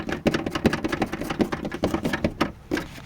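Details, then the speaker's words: Toyota Land Cruiser Prado 150 while driving: irregular light plastic clacking from the rear driver-side wheel, several hits a second, heard in the cabin; loose plastic rear wheel arch liner flapping in the wind. "подкрылок пластиковый ветром болтается передает все в салон"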